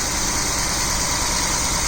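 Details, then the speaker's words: 2009 Jeep Wrangler Unlimited Sahara, after new spark plug and ignition coil fixing P0302 cylinder 2 misfire, plugs 4 and 6 still old: steady even idle with smooth hiss, no stumble; no error code, normal idle. "i'll test it now and the no error code and engine run smoothly then i'll replace the other two the four and six the repair is a success"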